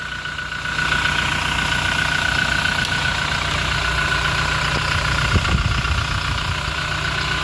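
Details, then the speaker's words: Toyota Innova Reborn diesel warm-idling after about 5 minutes, on PTT oil 5,400 km since the oil change. Even diesel clatter with a faint belt whine and no misses or knocks; the engine still sounds crisp. Normal idle. "kita bisa dengarkan untuk suara mesinnya masih Reny ya"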